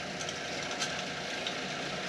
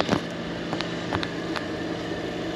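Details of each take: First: B&G circulator pump after replacing bearing assembly and impeller, switched on: steady even whoosh of pumping water with no grinding, rattle or squeal; normal running. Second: B&G circulator pump: steady humming drone with fixed whine and scattered rattling ticks; the bearing assembly is worn and noisy after motor mounts and coupler were replaced days earlier, so bearing assembly and impeller are being replaced.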